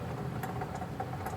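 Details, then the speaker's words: Car raised on jack stands with the rear wheel spun by hand; a steady rumble with scraping ticks, heard close and from underneath, clearly shows a worn rear wheel bearing. It is a bolt-on hub assembly to be replaced. "Alright, so in our case it's pretty straightforward and we can tell without a doubt that our wheel bearing is making noise"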